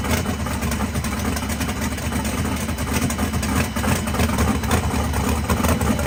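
Loud, lumpy V8 idle with a steady choppy beat and no knocking or rattles; the engine sounds like it is running healthy.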